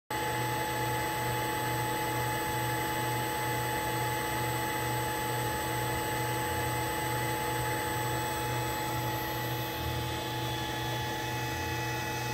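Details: Allen Bradley MPL-B330P-MK74AA servo motor, test run after repair on an Allen Bradley drive: an even, constant hum with a steady high whine and slight low pulsing, no knocks or grinding. Normal servo motor run.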